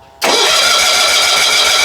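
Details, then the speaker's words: 1970s John Deere 70 skid-steer, 2-cylinder, cranked with choke on and a little throttle: fast, even cranking churn at seven or eight turns a second that never fires; engine flooded, plugs wet, fix is pulling plugs and cranking choke-off. "Yeah, so for a flooded engine, you just want to remove the spark plugs."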